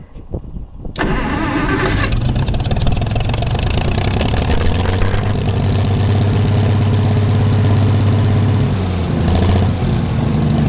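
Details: Gleaner combine gasoline engine just after its first start following a carb rebuild, starter rebuild and two straightened push rods. It cranks, catches and settles into a steady low idle with a slightly uneven beat. Runs better after blowing debris, suspected a mouse nest, out the exhaust.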